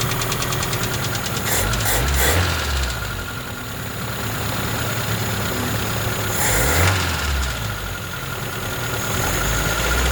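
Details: Slavuta 1.3 engine: steady rapid knocking about three or four a second over an uneven idle; persisted after the head was removed to retrieve a carburetor stud dropped into cylinder two; four mechanics couldn't find the cause.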